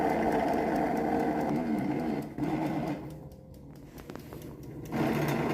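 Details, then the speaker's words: FAMA air fryer opened up with the casing removed, at the small fan motor: a steady buzzing whir that dies away midway, then returns. The little fan has some play, suspected cause of the noise. "Ó, ele tá com jogo. Esse ventiladorzinho tá com um pouco de jogo ali."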